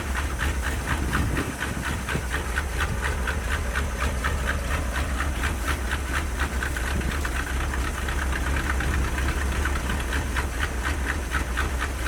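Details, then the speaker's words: 1977 Dodge D150 Adventurer 360 V8, first start after sitting 12 years, plugs soaked in PB Blaster: lumpy idle with irregular thumps and missed beats over a hiss, smoke burning off; owner suspects chewed plug wires, running on 6-7 cylinders, later clears. "I think we might be dropping a couple cylinders here and there. We're gonna let it clear out a little bit. Yeah, it's running on like 7 or 6 cylinders right now."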